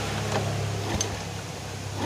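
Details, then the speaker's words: Yamaha Vega R New motorcycle, hard to start cold (up to 20 kicks) and with an unstable idle, oily exhaust: the electric starter spins the engine fast and evenly with little effort, a sign of weak compression, possibly piston rings or valves. "Jadi kompresi itu tidak padat ya, tidak padat, makanya itu kemungkinan yang bisa bikin motor pagi susah nyala."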